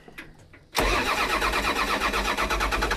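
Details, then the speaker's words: Long-neglected small diesel excavator with a broken cab safety switch: the starter churns at an even cranking rhythm but never catches, because the fuel shutoff solenoid stays closed. They plan to open it manually or use the emergency shutdown. "well the safety switch here inside this cab is broken what you're talking about earlier oh yeah and uh yeah that won't be good because it's turning over good yeah so we might have to manually open up the uh due to the safety wiring here we might have to manually open up the fuel shutoff solenoid"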